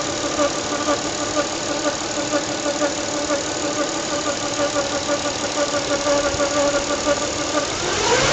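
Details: 1996 Nissan Stagea 25X, RB25DE engine at idle: a thin whine pulsing about twice a second over the engine; source of the rhythmic whine still being diagnosed.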